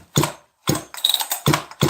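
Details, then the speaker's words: Chainsaw that had very light compression at first but pops better each run and is now broken in. Sharp, firm pops about three a second on pull start; healthy compression. "go back in the videos of this saw every time i run it it pops better you guys hear that okay this saw is broken in now"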